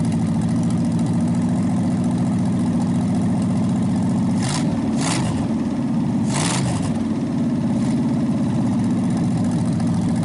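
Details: Packard 374 cu in V8 warming up across repeated restarts burning off oil after carburetor cleaning: even low idle with brief throttle blips, no misfire or knocking, nearly quit smoking; carburetor still due a rebuild kit. Normal idle.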